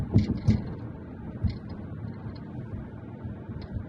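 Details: 2019 Mazda 3 GT sedan AWD with Bose speakers: irregular light knocks and rattles from the rear over rough roads with low road rumble, also when music bass is raised; cause unknown.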